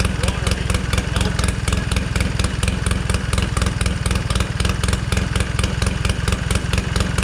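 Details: 1969 Polaris Colt 303 Wankel rotary snowmobile after years sitting, carb adjusted, slightly warm: fast, even pulsing exhaust beat at steady idle, no misses or knocks; normal running.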